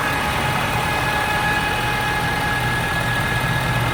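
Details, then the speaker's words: 2013 Ford F-350 diesel, only when engine warm, at idle: steady high-pitched whine over the engine note; several Ford dealers could not find the cause. "is a Ford F350 diesel 2013, making this really whiny ass noise. Only does it when the engine's warm."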